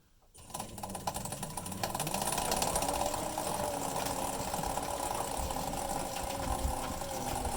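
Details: Maytag Neptune MAH5500 washer with tub bearings already replaced from a kit: a rough, uneven scraping grind repeats a few times a second as the drum turns and persisted after the repair; source unknown.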